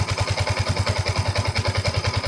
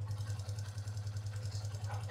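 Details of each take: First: Yamaha Y15 motorcycle, 14,597 mileage, after basic top set (valve clearance adjustment) fixing loud tappet ticking: even soft regular firing pulses at idle, no tappet ticking; quiet normal idle after repair. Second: Y15 motorcycle at 14,597 mileage, idling with no throttle before a top set: fast, even light ticking (tik tik tik) over a steady idle thump, keeping pace with the engine; loud tappet noise from loose valve clearance.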